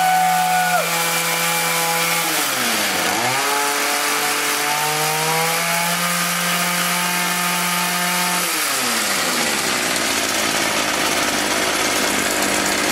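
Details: Echo HC-1600 two-stroke hedge trimmer, revived after sitting a long time, after opening a carb adjustment half a turn: crisp, even buzz drops and picks back up cleanly with throttle, no stumbling or surging. Runs healthy.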